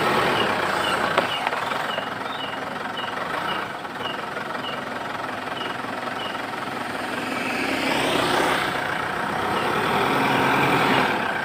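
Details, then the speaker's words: Mitsubishi Pajero at a shop; high thin rat-like chirp repeating about every half second over quiet idle when put in gear, heard from outside; suspected driveshaft joint/coupling, not yet confirmed. "Suaranya kayak curut atau berita kalau masuk gigi transmisi ada suara aneh suaranya dari luar"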